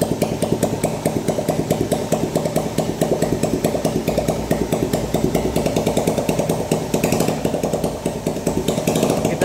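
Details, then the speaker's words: 2010 Yamaha Jupiter Z motorcycle with a customer complaint of rough engine noise at every rev, strongest at mid RPM. A harsh rattling clatter continues even with the clutch checked and refitted, so the clutch is ruled out. Bearing damage is suspected. "ini kita mencurigai adanya yang rusak itu di bagian bearing ya Jadi pas diputar itu bunyi kasar"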